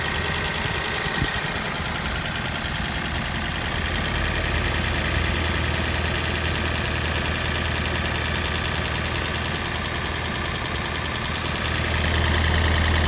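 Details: Toyota Prius 20 (2010, 1NZ-FXE, 120,000 km) after Lavr ML203 decarbonizing at a service: steady idle with fast, fairly even tapping about three per second; sound changed after 100 km, runs fine, no codes, plugs and coils replaced; engine knock, cause unknown.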